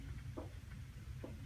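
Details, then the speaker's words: 1997 tank water heater in a North Dallas house with very hard water: quiet background rumble with soft hollow knocks about once a second; sediment rolling around inside the tank, needs servicing; water heater sediment knocking. "that Knockin sound you're hearing is sediment on the interior of the tank if you hear your water heater knock in like this you need to have it serviced"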